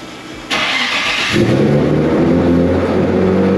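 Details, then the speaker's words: Nissan Z with boosted engine at idle after fitting a new wiring harness, following throttle body voltage faults: brief rush then steady, even, smooth idle, idling better than before; an exhaust leak is also present. "you guys hear the idol now it actually does idle a lot better with the uh new harness on"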